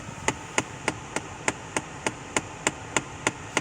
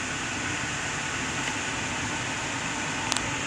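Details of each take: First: 2011-2015 Kia Sportage, AC on fan setting 3-4 in recirculation: sharp, even knocks about three a second under the dash over blower hiss, likely the recirculation door actuator behind the glove box broken inside and skipping. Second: 2011–2015 Kia Sportage after repair: a steady rush of air from the dash blower on settings two to four and on defrost, with no more of the under-dash knocking that occurred on AC settings 3–4 with recirculation.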